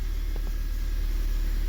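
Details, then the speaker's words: 2007 Honda Fit 1.5 with solid (non-hydraulic) lifters, which had rough idle and stalling with no check engine light, after valve adjustment: steady, low, even idle rumble with no misses, knocks or ticks; normal smooth idle after repair. "So, we adjusted the valves. Let me show you some little tips on that. All right. Now, to really nice. I like that."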